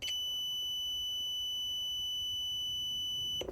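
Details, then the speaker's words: Jaguar XK8 V8 with a no-crank, no-start fault, fuse checked with a multimeter on the continuity/beep setting. A steady high beep of over three seconds and a zero reading mean the fuse is good; owner suspects the car is stuck in security/immobilizer mode. "and we've got a zero reading on the fuse, which means it's good and it hasn't blown, right?"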